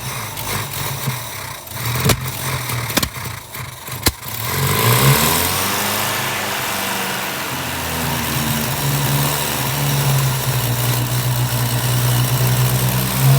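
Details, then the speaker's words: 1959 Ford Taunus 17M first start in the USA after carbs leaking fuel while cranking: catches after a few seconds and settles into a quiet, even idle with no knocks or misses; sounds healthy. "he's alive oh my god i like it it's actually quiet that's great it really does sounds fabulous"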